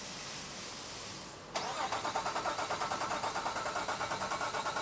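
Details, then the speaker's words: 2005 Nissan Quest 3.5L, still a crank-no-start after a new fuel pump, ECM, cam sensors, coils and plugs. The starter cranks at a steady, even rhythm for several seconds with no firing. Diagnosed by scope as engine out of time, with cams not lined up with the crank. "this is 100% an outof time vehicle and in the research that I did uh when I looked it up on Identifix it said that if it was out of time that it would be this exact symptom"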